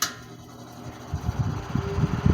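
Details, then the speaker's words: 1950s Wizard hassock fan, unrestored: on low speed the hum turns lumpy and pulsing, fan slows and stops quickly, bearing noise noted; motor partly seized and dragging. "yeah you see how quickly it came to a stop so yeah i definitely uh i've got a lot of work to do to this thing"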